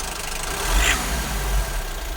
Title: Honda Civic X MY18 1.6 i-DTEC strange idle noise. (2)